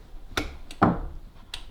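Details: De'Longhi Magnifica S grounds-tray microswitch pressed by hand with a plastic object, giving a few crisp, light clicks in a quiet room; the switch actuates normally. The fault was a tray-full light with an empty tray, likely coffee grounds blocking the switch.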